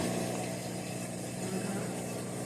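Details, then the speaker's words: Roper (Whirlpool) belt-drive top-load washer draining: steady low electric hum, no knocking, as the drain pump and mode shifter engage together and it clicks into spin, normal operation. "drain pump kicks on, and the mode shifter turns on at the same time. That way, so it helps saves a lot of time."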